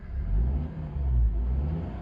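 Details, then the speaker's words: Honda Element exhaust about six months after replacing a stolen catalytic converter with a cheap aftermarket cat and new O2 sensors: low, smooth rumble swelling briefly with throttle, no drone or rattle; quiet and normal. "so it sounds like super quiet not droney super happy"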